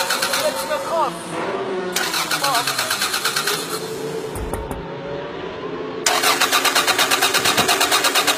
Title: Auto van max verstappen start niet